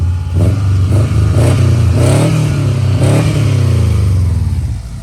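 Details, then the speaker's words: 2004 Subaru Impreza 2.5RS with an SRS stainless exhaust, revved from under the hood; heads and valve seals were done at 158,000 miles. Several quick throttle blips with a deep, burbly exhaust that rises and falls cleanly, no rattles or misfires. Normal exhaust note when revving. "They didn't sound that good, but the smell of the exhaust and just a Japanese car smell and that sound of that revving, it reminds me of on the four-wheeler."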